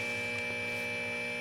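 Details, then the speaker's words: Late-1965 Epiphone EA-32RVT Comet tube amp after clipping reverb tank to the earthed center-tap ground: speaker goes almost completely silent, just a faint steady hum and light hiss; grounding fix works. "and here's the other end of that gator clip, and let's listen to the speaker now. Just went almost completely silent"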